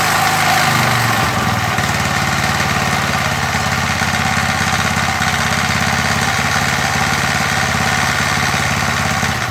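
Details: MTD edger with 3.5 hp Briggs engine, long-sitting non-runner after repair, revs brought up: picks up speed then holds a steady, even putter with no misses or hunting; normal running.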